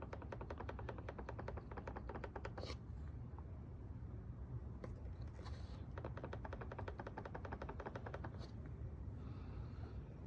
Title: 2023 Honda Odyssey Elite B-Pillar Rattle Noise!